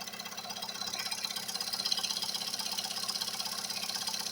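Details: Recently repaired engine, quiet with no knocks when cold, now hot after revving. Oil pressure high, check-engine light off, vibrations. A steady light ticking knock of about two or three a second over the warm idle; source unknown.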